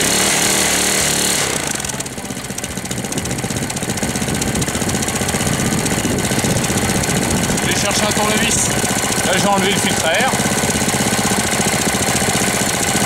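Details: 1998 Briggs & Stratton 60 Intek Edge 6 hp engine, first start after long storage, not warm, oil level fine: harsh, uneven clatter about four knocks a second, even when accelerating; owner fears it may seize; abnormal knock.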